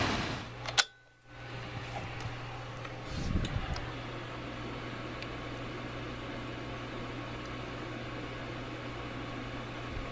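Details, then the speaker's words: Blower fan running normally on an HVAC system after an ECM variable-speed to PSC motor conversion, calling for cooling on zone two; after a clunk or two at start, settles into a smooth, even low hum with no rubbing, rattling or wobble. "our fan is [Music] operational we're calling for cooling on zone two"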